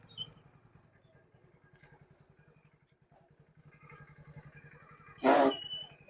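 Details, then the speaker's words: Motorcycle with engine idling, ridden in gear, rear drum brake applied in the morning: sharp high squeal for about a second because the drum and brake shoes are glazed and dusty and slip; holding the brake lightly reduces it. "आवाज इसलिए करती है की राम जो होता है वह काफी ज्यादा चिकनाहट हो जाति है और अंदर में जो कुछ दूर वर भी राहत है तो वही जो है ब्रेक श से फिसलता है जो की आवाज करता है"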